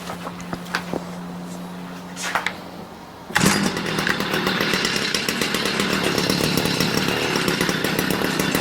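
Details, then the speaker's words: Stihl MM56/MM65 tiller two-stroke after carburetor adjustment, blue smoke seen: uneven burbling beat instead of crisp buzz; still running rich. "yeah we definitely are running rich so let's do that again"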